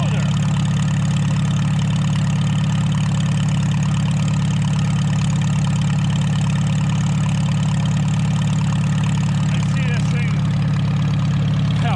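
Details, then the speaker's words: 1949 Farmall H tractor restarted after sitting roughly 10–20 years: steady, even low idle beat with no misses or knocks; sounds more loaded but smoother. Normal running. "Funny. It sounds like it's loaded more, but it's smoother."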